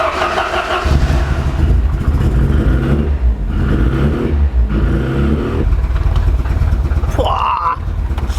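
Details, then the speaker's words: Ford Sierra Cosworth started after fuel system pressurised and checked for leaks, while adjusting Gaz Gold suspension: deep, loud engine note lumping and surging unevenly; runs rough, cause not yet clear. "that off right we'll have no leaks it is running like a bag of hammers it really really needs to get sorted out"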